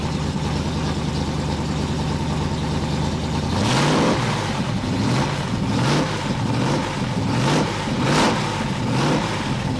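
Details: 1981 Oldsmobile Cutlass Supreme with swapped small-block V8, new headers, during cam break-in after starter fix: steady lumpy V8 idle, then quick throttle blips rising and falling cleanly; normal idle and revving.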